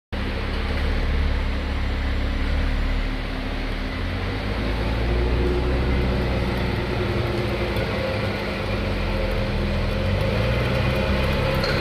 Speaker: Too much noise, huh? Already broken inside, see? See? This one broken inside.